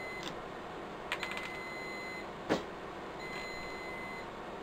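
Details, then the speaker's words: Riello DVD 2200 2U UPS whose batteries are being replaced: quiet high-pitched electronic tone sounding on and off over soft hum, beeping for about two weeks, battery fault alarm signalling worn-out batteries. "as you can hear that beeping has been driving it mad now for about two weeks"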